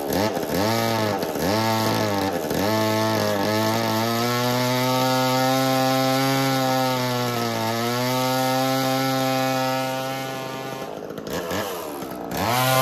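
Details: Echo CS3000 chainsaw, bought at an estate sale after sitting outside, driving a 1980s Versa Tools drill attachment after the chain tension was loosened (too tight had caused restriction, overheating, clutch worry); engine revs, pulls down smoothly under drilling load and recovers cleanly without dragging or stalling, running freely.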